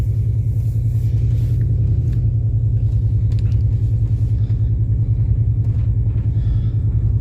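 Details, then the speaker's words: 2000 Mercury Grand Marquis driving after being warmed from a 29°F cold start; a heavy low rumble with an uneven, stumbling pulse as the engine misfires, power cutting in and out like a four-cylinder. "Definitely sounds like it's misfiring. Anyway, let me get it to the shop."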